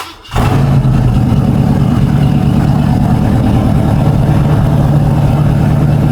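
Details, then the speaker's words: Warm V8 on a fast idle of about 1200 rpm; lower and it loads up. Smooth, even deep tone with no valvetrain ticking; sounds healthy. "but about 12200 is where it wants to burn the fuel if I lower it too much it'll load up right now it sounds pretty good"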